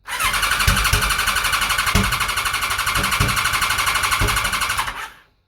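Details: Kawasaki ZZR1100 (ZX-11) race bike with a newly fitted Ignitech standalone programmable ignition: starter cranks steadily for five seconds and never catches; coil outputs need swapping.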